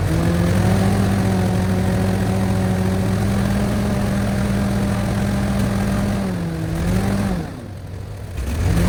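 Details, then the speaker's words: 1970 International 434 tractor after distributor points and condenser fix, timing adjusted by turning distributor: steady, even idle with a smooth low hum that dips and picks back up cleanly; now runs well. Normal idle. "all right that might be just where I want it seems to run pretty good crank the autle down Auto's pretty nice"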